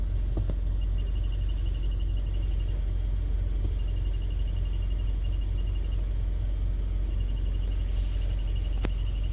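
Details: 2015 Subaru WRX running: deep engine rumble with a faint, fast, high-pitched chirping whir through it; suspected throwout bearing starting to fail.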